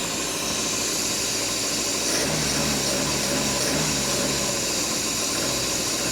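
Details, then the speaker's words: 1967 Opel Rekord 2DHT Coupe petrol engine, revived after years of storage: a steady, even idle with no misses or knocks. Runs like a fresh engine when warm. "Hey, really, it's a really good machine by the way. No, no, then when it's warm, it's a bit like that fresh engine."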